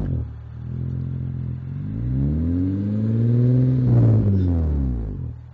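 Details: Honda Accord V6, noise around 2000 rpm while revved in place, loudest under front of car, louder under load, uphill or 2nd-gear starts; thin metallic buzz over swelling revs: loose heat shield over catalytic converter rattling, since fixed.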